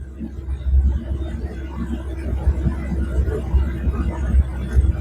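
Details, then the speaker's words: Rotax 912 80 hp flat-four ultralight aircraft engine, about 100 hours since last oil change, at idle before oil change, oil pressure above 4 bar: low, even throb, no knocks, misses or rattles; smooth, healthy idle. "Donc on a toujours une belle pression d'huile, à plus de 4 bars. Le régime au ralenti. Le moteur tourne."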